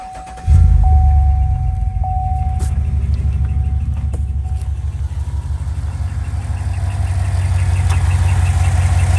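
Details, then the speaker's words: 2015 GMC Denali L86 6.2L V8, 114,000 miles, starts and idles with a faint, fast, high-pitched ticking squeak that follows engine RPM; a bad lifter, intermittent from about 110,000 miles and slowly worsening. "A bad lifter noise is gonna sound kind of like a high-pitched squeak."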